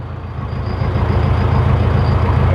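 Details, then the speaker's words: Four-cylinder engine running, cylinder 1 injector deactivated via diagnostic tool: deep drone turns louder and rougher with engine vibration; sound change shows the first-cylinder injector is working properly, rough running with one injector disabled. "और अभी आप सुन पा रहे हो इसका आवाज change हो गया और इंजन में वाइब्रेशन भी हो गया हुआ है। इसका मतलब ये हुआ कि जो फर्स्ट वाले सिलेंडर का इंजेक्टर है वो सही से काम कर रहा है।"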